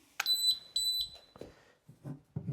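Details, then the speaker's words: YoLink water leak sensor by a water softener and water tanks, water poured on floor: two sharp high-pitched beeps half a second apart, then handling noise as it is dried off; leak alarm. "And it immediately beeps. And let me dry that off, stop the beep."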